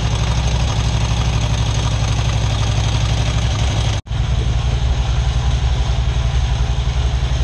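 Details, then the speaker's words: Big V-twin Harley after fitting a $10 part to cure top-end ticking: loping V-twin idle with only faint light clicking, ticking significantly reduced; normal idle. "oh yeah it is much quieter in person the ticking has gone down significantly"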